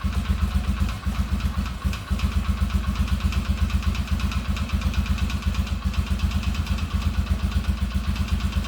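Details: Marketplace ATV sold as needing a new engine: steady, even low thumping at about four beats a second with no knocks or misses. Runs with no problem; normal idle.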